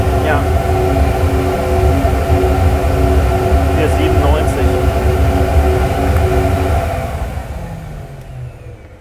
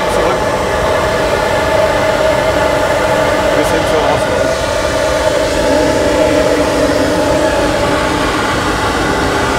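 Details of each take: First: Sport air filter measured on a flowbench, a quieter filter than the previous one: steady, even rushing roar with a low hum underneath that winds down at the end. Smooth airflow through the filter with no flutter, normal intake airflow. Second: Sport air filter intake pipe on a flowbench, pipe deliberately kinked: loud, steady rushing roar with a constant tone on top, louder from turbulence; airflow turbulence noise from kinked intake pipe.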